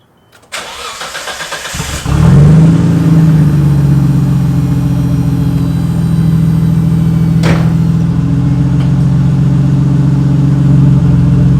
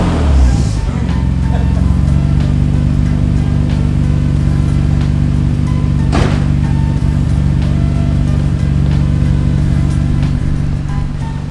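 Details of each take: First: 1991 Nissan Skyline GTR R32, cold early-morning startup: brief crank, then a loud raw droning idle because part of the accident-dented exhaust was cut away, leaving no muffler. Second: 1991 Nissan Skyline GTR R32 after its Jasma exhaust was fixed: deep, even, steady drone with no rasp, rattle or popping; smooth, normal exhaust note.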